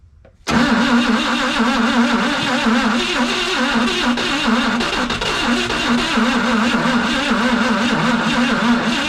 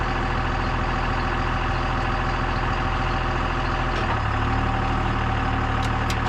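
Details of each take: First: CMP engine, fuel pump dry so fuel poured into the line: steady, labored, sluggish cranking for about ten seconds with no catch; starter not warm but turns too slowly to fire. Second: Old CMP truck engine starts after the distributor was turned all the way one way to adjust timing: labored four-second crank, then it catches into a steady, even idle. Still cold and needs more heat, but much less ticky than before.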